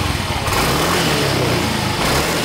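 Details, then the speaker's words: Yamaha Mio M3 (Mio Z) scooter at 17,600 km, just refilled with fresh Shell AX7 Matic 10W-40, healthy despite excessive oil consumption (~0.15 ml/km): revs up and holds evenly, no knocking, rattling, misfire or smoke. "Dan ini masih normal banget teman-teman. Starter gampang, bunyinya halus, ya, dan nggak ngebul."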